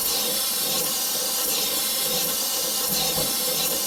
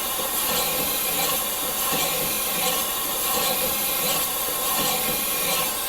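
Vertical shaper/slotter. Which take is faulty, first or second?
first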